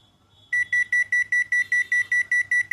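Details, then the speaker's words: Panasonic old-model inverter split AC in check mode with original remote: a long steady high beep answers the Timer Up button press, confirming stored error code H11 (diagnosed after timer light blinking). "இந்த மாதிரி press பண்ணும்போது ஏசில இருந்து BP சொல்லிட்டு sound வரும் அந்த மாதிரி sound வரும்போது இந்த அதுதான் எரர் கோடு இந்த எரர் தான் இப்ப h11 h11 சொல்லிட்டு எரர் கோடுதான் வந்திருக்குது"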